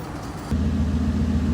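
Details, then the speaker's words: Dodge Durango that sat two years and ran poorly when parked; owners think it has really bad fuel: catches quickly and settles into a deep, slightly uneven rumble; rough idle, known idle problem. "i still can't believe it but it made it over here it's rough fire it fired right up it fired right i can't it's amazing"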